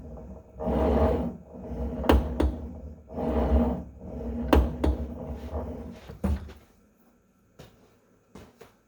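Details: Tonal home gym cable retracting slowly with a whir and two or three sharp clicks and pops per stroke in a quiet room; fixed by resetting the cable system.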